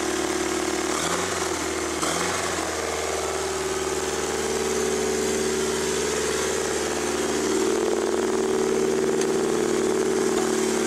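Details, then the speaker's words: Mazda RX-7 FB with SR20DET swap, after sitting under snow, no fans or throttle cable hooked up: starts right up, smooth even idle with steady hum and slight rise in speed partway; healthy. "so so uh starts right up every time thanks to that wearing specialties harness that thing's awesome"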